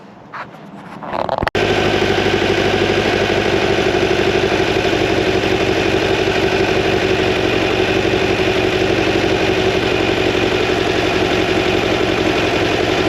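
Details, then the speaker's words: New 2180cc VW Beetle engine for a 1968 single cab at first start/break-in, main jets upsized to 145s, warming up with a mixture probe: steady lumpy idle about four beats a second; still slightly rich, targeting 12.5–14 air-fuel. "means still a little bit on the rich side but rich is better than lean"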